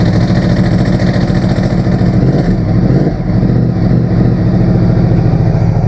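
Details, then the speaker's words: 2009 Yamaha R1 Crossplane with Yoshimura pipes, started right after an oil change: fires and revs with a dry loose clatter over the exhaust; owner suspects the automatic cam chain tensioner rattling from no oil yet, plans a manual tensioner. "could hear the automatic cam chain tensioner rattling there. That rattled a lot, I suspect, because there was no oil in it"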